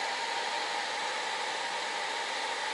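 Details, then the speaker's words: TABODD 12V 5kW diesel air heater on high, outlet air about 220 degrees, microphone about a foot from the air exit: steady, even rush like a loud fan, no knocks, rattles or surging; normal running. "You can hear it running. It basically is like a loud fan. The mic is probably a foot away from the exit on this, so it's a little loud than when you're sitting, you know, in a chair and everything else."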